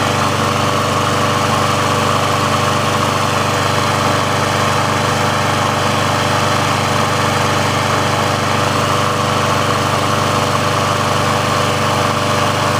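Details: Briggs & Stratton single-cylinder engine on a Sears Craftsman machine after service/repair, warm with the auto choke open: even, steady drone with no hunting, surging or misses. The auto choke works as it should, so warm running is normal.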